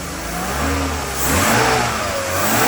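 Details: Classic Mercedes M104 engine start after replacing valve cover and timing cover gaskets, oil level sensor, drain plug, and 7-quart oil change: catches and revs smoothly, pitch rising and falling cleanly, no knocks or ticks; healthy after the work.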